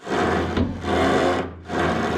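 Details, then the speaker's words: 1963 Chevy Impala rear suspension during rebuild, shocks and panhard bar removed, axle lowered: long rough creaking groans with each axle stroke from worn old rubber bushings. "you can hear the creaking and groaning in those old bushings these old cars with the weird squeaks that's what they are"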